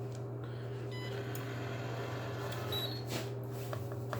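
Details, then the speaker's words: Hotel room safe after clearing, entering code 4444 and pressing lock. Faint beeps on keypress, then the display reads close and a brief whirr and click as the bolt drives home; normal locking. "It says close, and on top of that, you can hear it locking."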